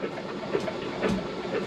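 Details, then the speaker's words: Flood-damaged 2012 Ford Focus, submerged to the roof by a hurricane, cranked with clutch in and spark plugs out: light quick starter whir with soft puffs, no compression beats, cylinders expelling water and transmission fluid; starter still turning. "I'm going to try to crank it over got the clutch engaged let's go no [Music] way it's spitting out uh my transmission fluid and the water"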